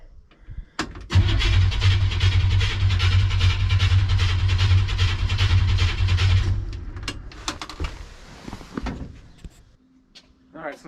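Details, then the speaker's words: '57 Chevy after a fuel tank reinstall, with fuel pressure on the gauge and a leak at the pump, cranks steadily at about three turns a second for five seconds but never fires; suspected fuel delivery problem, not confirmed. "i guess it's time to see if this thing will start again [Music] looks like that answer is no so far"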